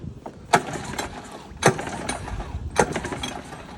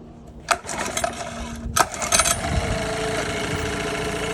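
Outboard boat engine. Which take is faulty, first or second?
first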